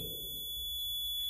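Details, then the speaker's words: Bridge circuit trainer kit measuring an unknown inductance: continuous high-pitched buzz at a fixed pitch from the detector buzzer, showing the bridge is not yet balanced before adjusting R7. "coming to our trainer kit, you can hear this buzzing sound. Okay, now we will change this resistance R7 to make this bridge balanced."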